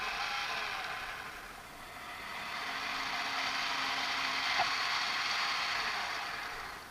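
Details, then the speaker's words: Sky-Watcher AZ GTI mount after strip-down, cleaning and fresh grease: steady high-pitched motor whir through a full axis revolution, no binding or strange noise; tension likely too tight before, normal motor slew. "that's excellent there's no binding there on the full Revolution so that's really good and the strange noise is gone"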